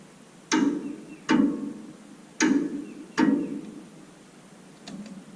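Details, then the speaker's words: Galion T500 motor grader sat in woods since 2007 (14+ years), undersized battery fitted: irregular sharp starter clicks with no cranking; starter cable found loose with nut missing on back. "Alright, so I tried cranking on it a couple times and it was just clicking, and I saw that this wire right here was just kind of sitting on there. I guess the nut on the back fell off or something, so I'm going to try to get that tightened down."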